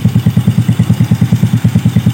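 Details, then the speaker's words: Yamaha Vega R motorcycle that won't rev and stutters once hot, just started, before the 10-minute warm-up: steady, even single-cylinder idle pulsing about eight times a second, no knocks or misses; normal idle. "Oh enak motor ya suaranya."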